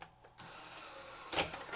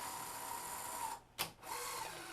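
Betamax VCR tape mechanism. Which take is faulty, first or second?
second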